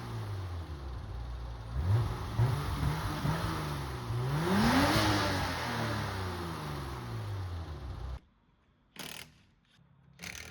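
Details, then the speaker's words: BMW E30, previously running rich with black smoke, after clearing the fuel return line with a bicycle cable on a drill: revs climb and settle evenly, no more smoke, only slight roughness left, much better running. "all right so we've got the return line cleaned out by running a bicycle cable through it on the end of a drill it's running a lot better no more smoke and it's a little rough still but much much better sounding"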